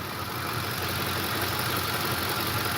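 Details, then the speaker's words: 2008 Ford F150, warm at 204°F coolant, after suspected cam phaser ticking that began after driving through a flooded road: even idle with light quick injector ticking, oil cap shaking slightly; phaser tick no longer heard. "I can hear my fuel injectors and it's gonna shake to it but ain't the hand you can tell us look the oil cap see how it shakes a little bit not bad at all not bad at all"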